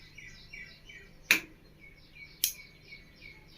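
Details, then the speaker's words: V-Guard AC voltage stabilizer after replacing the time-delay capacitor: single clean relay tick at switch-on with birds behind and no harsh rattle; this tick means the filtering capacitors are good and output is correct. "இந்த மாதிரி அந்த டிக்குங்கிற sound வந்தால் மட்டும்தான் stabiliser வந்து ஃபில்ட்ரிங்லாம் பக்காவாக இருக்குது."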